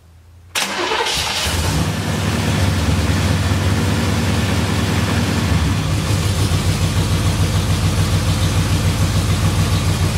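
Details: Camaro starting. It catches quickly on the starter, then settles into an even idle with a steady low rumble and no misses or knocks: normal start and idle.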